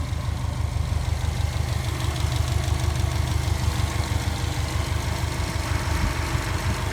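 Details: Subaru Forester SH9 with swapped EJ255 flat-four, first start: steady low even idle pulse with no sharp tapping; owner first heard a slight knock, possibly a piston pin suspected, but this sounds healthy.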